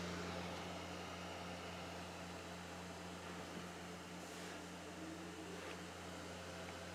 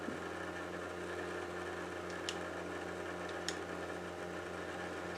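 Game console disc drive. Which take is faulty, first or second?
second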